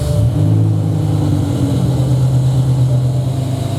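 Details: BMW E63 M6 with S85 V10, freshly started, idles with an uneven lumpy beat and exhaust-pulse dropouts, service engine soon lit and running on half the engine (safe mode); misfire traced to failed cylinder 9 ignition coil (driver side).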